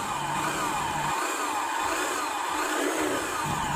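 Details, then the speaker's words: Small scooter engine with the CVT removed, noise confirmed from the engine's middle: rough wavering whir; based on experience, a damaged crankshaft bearing is suspected, not confirmed. "Berdasarkan pengalaman saya, a bunyi macam ni berpunca dari bearing kkas rosak."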